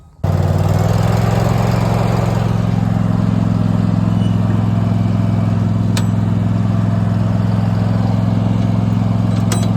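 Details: Abandoned Cub Cadet mower, earlier poorly handled by a dealership, test run: engine catches and settles into a steady, even low drone that holds speed without misses or surges; runs smoothly and healthy.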